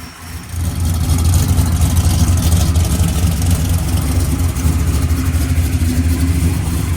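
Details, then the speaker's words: V8 idling; deep even lumpy burble with no knocks or ticks, snappy and sounding good, healthy. "Snappy, isn't it? Yeah. God, that thing sounds good."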